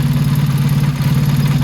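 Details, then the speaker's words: Motorcycle carburetor being tuned with a Colortune plug. Idle mixture screw turned back in toward 3 turns out as the flame returns to blue. Even, steady low burble with a regular pulse and no misses. Sounds better; idle normal. "And it's slowly changing back to blue. Light's starting to sound a lot better, a lot more syncopated."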